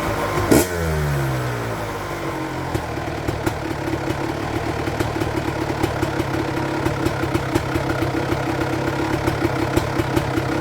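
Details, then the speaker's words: 1999 Honda CR250R two-stroke after fitting a new exhaust gasket and springs: it starts, blips and settles into a steady crackling idle with no leak at the front pipe and is quieter than before. "So I think that was a success. It didn't leak whatsoever in the front, and the sound was much quieter in front, because I thought that the engine's noise was much greater before when it was leaking."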